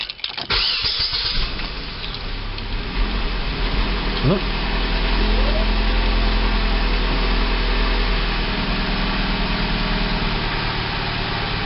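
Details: 2007 Pontiac G5 after fuel line replacement, fuel rail not bled: brief crank, then a steady even idle with no misses; no leaks found.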